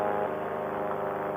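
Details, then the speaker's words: Rebuilt Air Conception Tornado 280 two-stroke paramotor (new piston, head, gaskets after recall damage) in flight: steady even high-pitched buzz at constant revs, no misses or rough patches; running smooth. "she's running smooth ladies and gentlemen"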